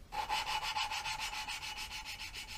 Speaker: A little twist, a little tap. You can hear the grinding compound working.